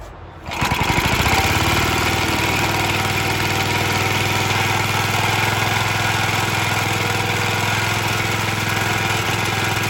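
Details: Early 1954-55 Suffolk Iron Foundry Model 1A engine, still cold. It settles into a fast single-cylinder beat with a loose metallic rattle over every stroke.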